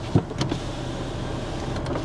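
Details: Vehicle with 205,341 miles: short, even electric whir from the door with a soft thump at the end; working power window motor runs smoothly.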